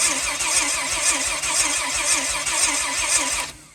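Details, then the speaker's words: Rear-wheel-drive Honda Civic with binding starter Bendix, on jump box: labored, uneven cranking about two compressions a second; slow cranking from low voltage, still sagging to about 9–9.5 V, cranking speed rising from roughly 85–90 to 120 rpm. "What's 120 and 12 volts is still down to about 9.5, 9.0. So it still drags it down some, but you can just hear it so much happier."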